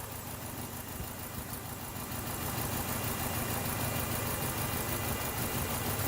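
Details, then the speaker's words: 2012 Chevy Cruze with flashing check engine light: uneven lumpy idle, shaking badly, with a regular stumble about three times a second; misfire on cylinder number two persists, coils on 1, 3 and 4 known good. "but anyway shaking like a leaf go get you shot attached my misfire on number two is still going"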